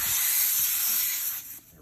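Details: Tire inflated to about 30 psi with the valve core out: sharp, steady hiss of air escaping the open valve stem for about a second and a half, then it stops dead as the core is reinstalled.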